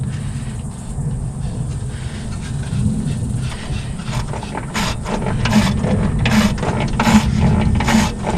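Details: 1955 Plymouth Plaza 2-door wagon engine locked after 42 years parked: slow dry rasping scrapes in bursts about every second as the crank is rocked by hand to free it; cause unclear, a slight cylinder ridge found.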